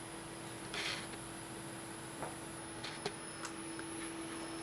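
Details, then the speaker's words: Circa-2004 PC (AMD Athlon 64 3200+, GeForce 9600) stored 10+ years, with 20-year-old drives, at first power-on: a steady low hum, a thin high whine and soft clicks as the drives spin up. The front fan was not turning, and one drive proved dead. "Oh my god. She's actually spinning up. I can hear the drives going and everything."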